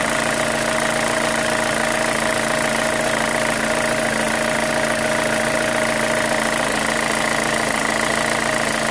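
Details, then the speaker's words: 2005 Chevy Cobalt LS 2.2L with a P0304 cylinder 4 misfire code, idling: a light, fairly regular tick of roughly three or four a second over the hum; the owner suspects a lifter, unconfirmed. "I still think it's a lifter right here. It sounds kind of like one."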